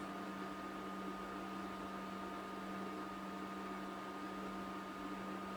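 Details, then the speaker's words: Mellerware induction cooktop after switch-off: quiet steady fan rush and low hum that continues for some time before stopping. Normal cooling fan run-on. "It goes on like that for some time before it actually switches off, after you have switched it"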